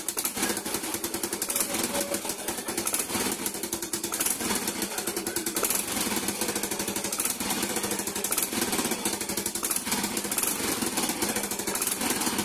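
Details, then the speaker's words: Low-mileage Yamaha Mio i125 scooter, basic throttle body and injector checks done: rapid metallic rattling and crackle over the engine beat, with a backfire pop on throttle release; exhaust leak at the header flange. "Hindi ko alam kung narinig niyo yun pero pag nagano na ako pagkatas ko magpa biglang parang may naiiwan na backfire pak gumaganon"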